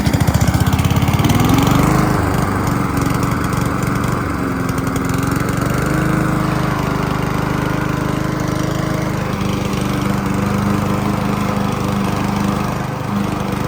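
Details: Honda HRC216 mower (GCV-series engine), hot, on choke, original carburetor: drone wavers up and down; surging from faulty carburetor.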